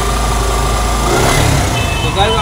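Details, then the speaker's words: Suzuki Gixxer SF motorcycle, earlier misdiagnosed by several mechanics: a loose metallic clatter rides over the exhaust note as revs rise and fall. Cam chain tensioner noise, the tensioner not holding the chain tight. "तो guys य ये sound है इस sir ऐसा sound आ रहा है तो इसमें बताऊंगा किस चीज की दिक्कत है"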